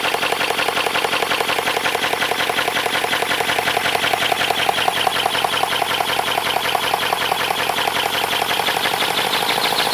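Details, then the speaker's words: 3D-printed 412cc V8 engine made from ASA plastic (earlier version made from PLA): fast even light clatter, steady with no stumbles or knocks; running smoothly. "Okay, it sounds good. But one thing that I don't want to happen is something overheating and welding itself on like the plastics."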